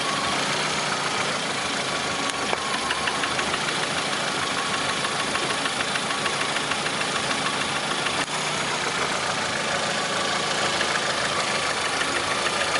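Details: Lada Priora, 21126 petrol engine: faint, fairly regular tapping of about three a second over a hissy engine note; knock from inside the engine, source not pinned down.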